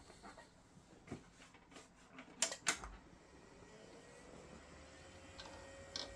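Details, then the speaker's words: Hard drive in an IBM/Cyrix Socket 7 Windows 98 PC, not detected: a few sharp, uneven ticks and clicks instead of a smooth spin, in a quiet room. The drive is dead, or half dead. "so yeah that is a um dead Drive well half dead"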